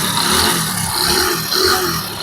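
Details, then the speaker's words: Hero HF Deluxe motorcycle, kick-started: quiet at slow idle, but as the throttle opens a raspy metallic rattle rides over the single's exhaust beat and rises with revs; abnormal internal engine noise when revving, cause not identified. "जैसे मैं bike के accelerator को खींचूंगा तो इसकी और engine का sound है जो अलग ही साउंड है।"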